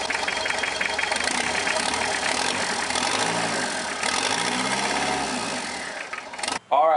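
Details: Mazda B3000 turbo build, first start after its fuel delivery problem was fixed: a loud, even roar and hiss with no knocks or misses. It starts and runs cleanly.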